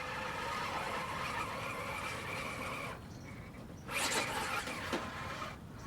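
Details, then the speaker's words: RC crawler with 1.9" budget tires on wet rocks: motor whir under load with irregular high squeaks as the chassis flexes; body shell rubbing and squeaking. "Listen to that squeaking on the body."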